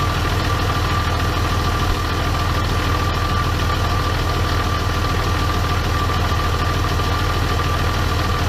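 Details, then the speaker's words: 2012 Ram 2500 6.7 diesel with a newly installed rebuilt G56, about 5.5 quarts of ATF added: a faint thin whine over the diesel clatter, in third and fourth gear and mostly when cold; absent on the original, owner unsure, maybe synchronizers breaking in. "a little bit of whining didn't have on the the original transmission sure if it's that synchronizers are breaking in or i'm not sure what that is on a transmission guy at all so but you know there's a a wine third and fourth year that I didn't have before but seems like it's mostly noticeable when it's cold"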